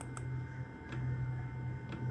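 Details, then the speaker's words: 2007 VW Rabbit 2.5L, secondary air valve actuated via VCDS output test while diagnosing overheating; sharp single clicks about a second apart over low engine-bay hum; switching normally. "Caen air pump this one's gonna be a little loud okay that's working just fine"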